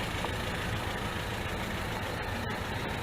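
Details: Low, steady, even idle burble from a 1977 MGB after a wiring harness and Weber 2-barrel carburetor rebuild, recorded outside, with no misses or knocks; healthy idle and the car runs.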